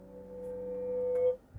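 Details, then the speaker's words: Kia Seltos, parked, after its cooling coil was replaced with little cooling improvement: with the AC on, a steady mid-pitched metallic hum like metal grinding on metal swells, then stops when the AC is switched off. Intermittent AC noise, cause unknown. "मैंने इसी को बंद कर दिया जो घ करके कुछ लोहे से लोहा घिसने वाली भाई खड़ी कार में ऐसी घ सी साउंड आ"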